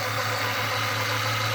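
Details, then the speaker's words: 1996 Mustang with an intermittent battery light, idling after the alternator was swapped, battery low and charging: an even, steady idle with a light hiss and no whine or grinding, battery light out, alternator sounds fine. "Battery light is out. See, that alternator came off the original motor that was in the 94. Awesome. You can actually hear the alternator."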